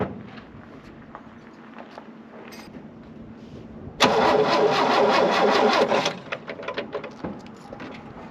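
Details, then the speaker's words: 1967 GMC truck, not started in about two months, after fitting a new choke cable: quiet, then catches in about two seconds and settles into a steady idle; normal start, the new choke made the difference. "without that joke no way would have this thing ever fired up"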